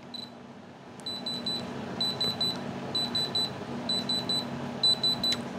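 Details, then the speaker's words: Diamond tester, calibrated to about 4.5 and pressed at 90° onto a ring stone while touching the metal plate, gives quick sets of three high beeps meaning real diamond. "when you hear that beep those beeps say three beeps that is a diamond that is how you determine"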